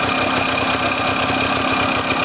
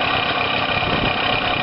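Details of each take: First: Warm two-stroke engine after engine-failure rebuild (coil wire reconnected, exhaust refitted, flywheel cover still off) buzzing at a steady, deliberately high idle before adjusting the mixture screw, starting from zero plus one turn: high idle speed. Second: Two-stroke engine first running after engine-failure rebuild, coil wire reconnected, exhaust refitted, flywheel cover not yet refitted; steady, buzzy idle with even beat, no knocks or misses: normal idle.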